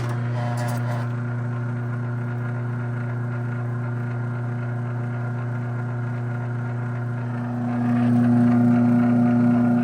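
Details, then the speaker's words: Original year-2000 AccessMaster M100 garage door opener, mildly restored, running in its foam packaging with a hand held on the foam. Steady motor drone and even chain rattle, smooth with no strain. Normal run. "Absolutely beautiful machine."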